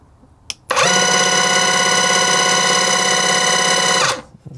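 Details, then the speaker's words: Battery-powered airless paint sprayer, which sometimes fails to prime or spray, on speed position one; motor speed sets output, no pressure adjustment: loud steady buzzing drone about three seconds, starting and stopping cleanly; normal pump operation. "There's no pressure adjustment. It's just how fast the motor runs, which I can I can demonstrate by turning it on."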